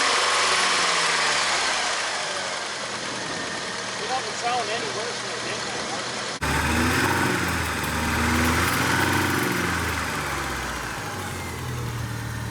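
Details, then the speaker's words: 1989 Ford Mustang 2.3 L inline-4 idling after 9 years unstarted: even idle about four beats a second with a light metallic rattle; owner hears crank rattle and a tick, says it needs a rebuild. "unfortunately this poor engine seems to have a lot of crank rattle she needs a rebuild all the way around"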